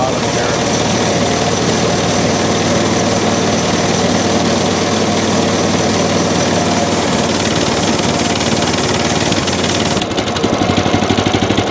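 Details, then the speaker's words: Small engine on a used bandsaw wood mill bought not running, started on choke with fuel on and throttle three clicks. It holds a steady run on choke, then turns rough and uneven; won't idle without choke, so the carburetor idle circuit is clogged and needs cleaning. "it doesn't want to idle without the choke on them see that idle circuit I should have pulled that screw off I guess"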